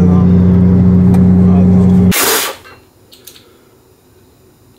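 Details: 1000 hp 2JZ car with rear differential rebuilt using non-original Volvo parts, bearings preloaded via shims, backlash set; loud steady whine holding even pitch, still whistling as before; differential whine, owner fears gear teeth.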